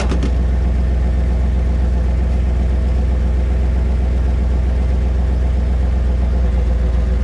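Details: 1997 Chevy C1500 5.7L V8 truck, fuel pump previously replaced and failing again: deep steady idle with even low beat, no misses or stumbles; engine sounds normal.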